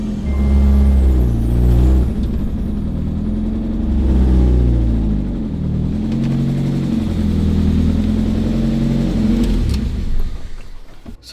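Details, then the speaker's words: 1992 Mazda Miata NA 1.6L, sat 3 years, first drive out of the garage with clutch held in, smoking heavily. Revs surge and sag irregularly and never settle; revs drop if the clutch is released. Idle unstable; owner suspects still running lean. "The idle is unstable, there's smoke everywhere, but I finally have it"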